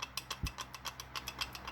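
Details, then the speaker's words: GM 4L70E transmission from a Suburban, rebuild: dry, rapid ticking about eight clicks a second as the planetary gearset is turned by hand; worn planetary teeth with visible wear marks, set replaced. "Yeah, see, this one's worn. If if you look real close at those teeth, you can see wear marks in them"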